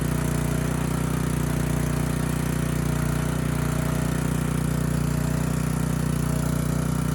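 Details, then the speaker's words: Ridgid 5700-watt generator with a previously seized Yamaha MZ300 engine, freed and rebuilt, heat shield rattle fixed: steady, even engine drone under governor with no knocks or misses; power output and engine speed good. "Power output's good. Engine speed is good. The engine sounds good."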